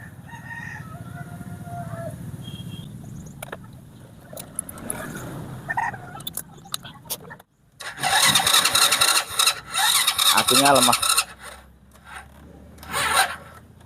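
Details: Honda Supra motorcycle that won't start on the electric starter but starts on the kickstarter, aftermarket starter motor, battery run down: short sluggish cranking bursts that never catch; slow cranking from weak battery, real no-start cause later found to be the pulser.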